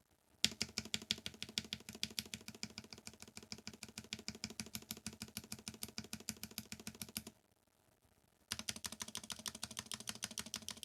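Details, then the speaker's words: Novelkeys NK87 Entry Edition keyboard, polycarbonate plate, stock unlubricated stabilizers: quick uneven clacky key strikes with a hollow, tinny rattle, worst on the space bar and right shift; stabilizer rattle. "but there are some that are noticeably worse than others such as the space bar and the right shift these two are the worst offenders"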